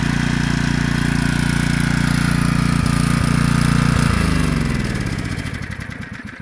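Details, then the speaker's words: Generac 3500XL generator, long stored, choke off. It fires and runs evenly for about four seconds, then slows and dies. Owner first wondered about fuel. "Well, I don't know if it's running out of fuel or what, but it's not running very long."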